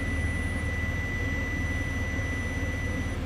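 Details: 2006 Chevy Silverado 4.8 with A/C not cooling and code P0530, continuity check on the A/C high pressure switch 5V reference wire: steady clean high beep about three seconds over low hum; continuity on that section, break later found as corroded wire.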